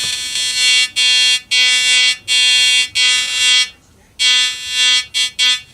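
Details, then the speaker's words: Probably mid-1970s Compass Yukon 94B metal detector: harsh steady buzz switching on and off in short consistent bursts; detector sounding properly, repaired. "That's definitely working. Wow. So that's pretty cool."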